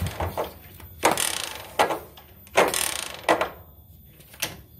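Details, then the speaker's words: Suzuki Shogun 110 motorcycle kick starter: several hard kick strokes, each a sharp clack then a rattling buzz with no catch or firing; slips when kicked fast but catches when kicked slowly, sometimes with a rough noise; kick starter slipping. "Nah, ketika dihentak itu dia ngelos. Tapi kalau di di engkol pelan itu bisa. Tapi kalau waktu dihentak cepat untuk engkolnya ini langsung ngelos."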